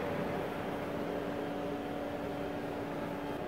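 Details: CNC router with an onboard liquid-cooled spindle, new pump and reservoir running: a quiet steady hum with a soft whir, mostly control-tower fans and spindle-drive fan air, no rattle or grinding; the cooling loop sounds normal.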